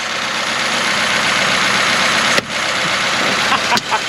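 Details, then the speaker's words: 1953 Pontiac straight-eight, first run since 1971, on a bit of choke: even steady smooth idle, no knocks or misses; normal idle, rust blown out of exhaust. "Oh. Heck yeah! It sounded good!"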